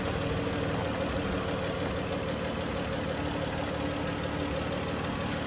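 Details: 2011 Dodge Journey 3.6 V6 after lifter and rocker replacement, shortly after start-up: steady, even idle with a quiet valvetrain and no ticking; the earlier tick is gone and the engine runs normally.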